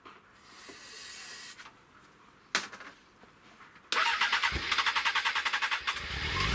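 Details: Honda CBR 600 fuel-injected engine, airbox off, cleaned, owner believes it was running on fuel; quiet seconds, then catches with a fast, uneven rattling beat before dying, recurring cracking noise, cause unclear.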